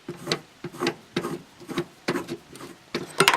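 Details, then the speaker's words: Old water pump removed from a VW Golf during a timing belt job, hand-spun: a short dry rasping rattle about twice per second; the worn bearing makes noise and the pump leaks. "here's the old one you'll get it right here and it starts to make noise and leak you hear that"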